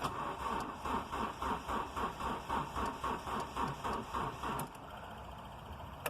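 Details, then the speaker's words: Ford Ka hard to start when cold, unstarted for days at about 6–7°C, battery weak, heard with the door open: steady cranking for over four seconds, never fires; coolant temperature sensor suspected, later replaced. "actually the the battery is a bit weak on it as well but even with like a jump starter on it it uh it cranks but it doesn't start it will start eventually if you keep trying it but it's difficult to start basically"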